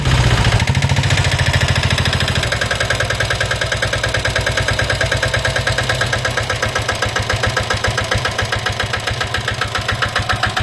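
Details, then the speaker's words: Royal Enfield Diesel Bullet 350 single-cylinder diesel, just started and idling: hard, regular tak-tak-tak knock. This is piston slap from a worn piston or worn piston/liner, and the engine is being opened for rebuild a second time. "ये जो sound आप सुन रहे हो टक टक टक टक टक आवाज ये है अपना पिस्टल लाइटिंग का आवाज है ये क्या है कि आपका जो पिस्टन है वो थोड़ा गिस चुका है या पिस्टन वल घिस चुका है उसकी वजह से यह साउंड आ रहा है"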